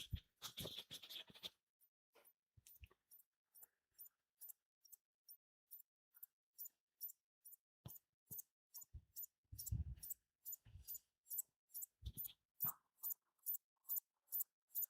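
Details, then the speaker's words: Philips Videopac G7000 console from 1982 just after plugging in: rapid, even ticking or squeaking about twice a second in a quiet room, like a printer; the power supply is suspected of cycling, not yet confirmed. "It sounds like a printer. Can you hear that? I think that might be the problem."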